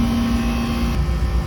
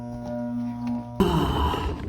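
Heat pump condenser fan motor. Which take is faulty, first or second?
second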